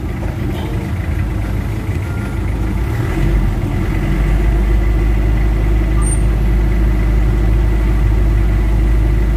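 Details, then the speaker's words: Warm Mitsubishi Adventure diesel with throttle delay, vibration and low power, idling after XADO engine treatment added, now with air-conditioning on; steady low clatter settling slightly heavier under compressor load, even and smooth; normal idle. "Ay sorry ako palao bumigat na siya may aircon y kaang mabigat yung may ano may [Musika] load nasa iding stage tayo guys"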